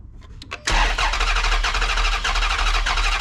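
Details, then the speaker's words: Chrysler 300C Hemi, sat for a while, cylinder six misfire: uneven, lopsided cranking at about three beats a second with one cylinder offering no resistance; number six has zero compression. "Number six has got zero compression."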